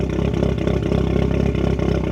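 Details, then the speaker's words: R56 Mini Cooper S, the cheapest in the UK. Uneven, lumpy idle stumbling several times a second, suspected misfire, with a slightly tappy engine, a very rich smell and what looks like soot from the exhaust. Fault codes show only a footwell module fault and an alternator fault. "Yeah, it does seem like it is misfiring to be fair. And like I said, the engine is a little bit tappy, but it's not terrible."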